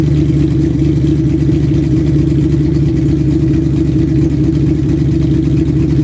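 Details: 2000 Mustang GT 4.6 V8, forged bottom end, Patriot stage 3 heads, bored .030 over, shorty headers, BBK H-pipe, Borla cat-back: steady idle and light revving with a faint fast tick; owner suspects timing chain or failed cheap guides, unconfirmed.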